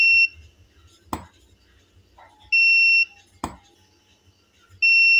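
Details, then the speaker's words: Tronic Alfa 800 studio monoblock flash after repair of power drop fault, triggered at full power with modeling lamp on: sharp pop, then a clean steady high ready beep about a second later, repeating evenly; no longer dropping, working normally. "udah mantap Om udah nggak ngedrop lagi gitu dari Trigger udah oke"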